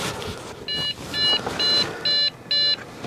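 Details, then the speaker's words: Dell Inspiron 660S, trash picked, DDR3 memory, CPU cooler heavily clogged: five evenly spaced high beeps at power-on after the fan spins, shuts off and restarts; owner suspects a memory error. "Because that sounds like a memory error."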